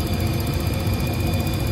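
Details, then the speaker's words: Rooftop HVAC heating unit with new intermittent spark ignition module, relit after 30-second timeout: steady low roar from lit burners with even fan hum, no puffing or rumble; burners operating normally. "just waiting for the 30 second timeout and we should be uh go we're sparking and we're lit"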